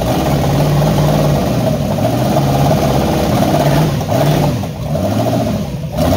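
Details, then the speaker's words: Freshly rebuilt Holden 4.2 L 253 V8 on a stand after sitting 25 years, test run with a burnt-out coil and running very rich: lumpy uneven idle with stumbles, breaking up like a misfire; new coil awaited. "hopefully she's pretty F he running really rich hopefully get the new coil tomorrow or Monday and um she'll be running you here it's sort of breaking up a little bit still that cor is not great"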